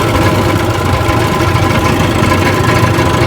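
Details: Rebuilt 1959 Evinrude 18 hp fast twin two-stroke outboard, warm after a test run and still pumping water. Steady, even burble at idle with no misses, knocks or rattles. Normal idle.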